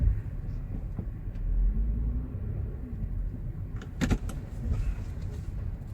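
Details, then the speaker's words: 2019 Honda Pilot, driven slowly over ramp grooves: dull thunks from the front passenger side, matching the complaint of fluttering over rough bumps; sounds more like a bushing than a sway bar link or ball joint. "it's on the passenger side so sounds more like a bushing noise than a uh like a sway bar link or a a loose Bol joint or something like that"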